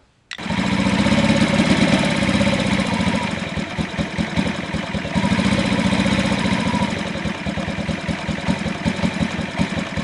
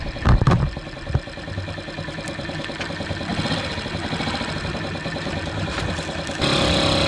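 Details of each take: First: 2003 Honda Ruckus scooter single idling lumpy and uneven, its beat wandering and stumbling, after a fuel pump and fuel filter replacement. It is giving a wet spark plug, and the owner thinks the carb jet was drilled out too much. Running rich. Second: 2003 Honda Ruckus scooter after fitting a new carb jet. The single catches after some clatter, then settles into an even idle that lifts slightly at the end. Normal start and idle.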